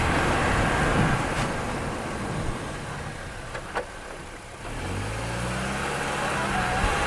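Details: Car after brake repair, microphone mounted, driven through a stop: steady road and tyre rumble with no squeal, scrape or grinding. The brake noise is fixed.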